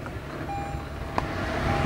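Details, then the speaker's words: Toyota Tundra TRD 4x4 off-road with V6 turbo, hood open: steady low rumble at fast cold idle with a single brief tap; a touch busier than the V8s but nothing outrageous, a normal cold start. "That's a cold start up, and really, once it warms up off the cold start, it makes a little noise. Nothing outrageous, but even sitting here, it makes quite a bit more noise than the V8s did."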